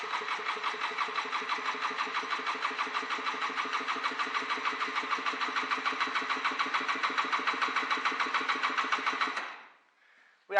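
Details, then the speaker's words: Honda NSR 125 two-stroke after sitting two years, in neutral, before the carburetor clean: even starter cranking at about three and a half beats a second for nine seconds, never catches; owner hears no power valves. "I don't hear the power valves though nevermind we are cranking"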